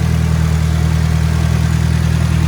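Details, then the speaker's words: Nissan S14 Kouki SR20 turbo, 333,000 km, downpipe, front pipe, catalyst and muffler, factory turbo: strong, even, loud idle with steady deep rumble, no belt squeal or uneven knocks; engine sounds healthy. "when I fired it up there was no belt squealing or anything of that nature the engine sounds strong"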